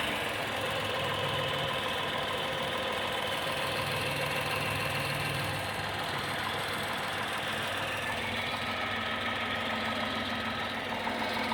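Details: Tata Tiago XZ+ BSVI petrol engine at 2,900 km odometer idling with a sudden, steady, sharp knock of about three or four beats a second.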